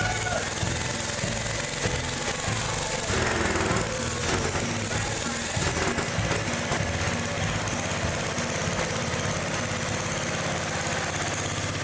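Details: Old Gravely small single-cylinder engine revved up: harsh, ragged, uneven beat that runs badly at high RPM. The points are arcing and carburetor adjustment doesn't help, so the cause is worn ignition points and condenser.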